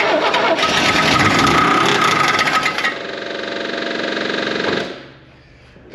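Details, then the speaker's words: 1967 Land Rover 109 Series 2A NADA, sitting 15 years, running on starting fluid: fast regular clatter, about four a second, over the engine until shutdown; the fan is striking the radiator, initially suspected as rod knock. "it's the radiator that's the knife that's that or the fan but it's yeah it changed"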